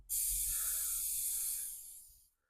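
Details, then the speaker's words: Honda CBR600 motorcycle tyre with a nail, just pulled out: sharp, steady hiss starting suddenly and fading over about two seconds as air escapes; puncture is definitely leaking, awaiting permanent repair. "That is definitely a leaker."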